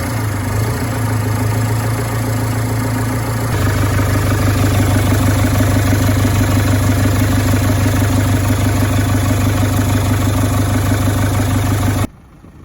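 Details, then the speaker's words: Manitou M50 turbo forklift's Perkins diesel after injector pump replacement and injector bleeding: a steady, even clatter and firm drone with no misses or knocks. Normal running. "I am here just driving around the yard making sure everything's good nothing's leaking"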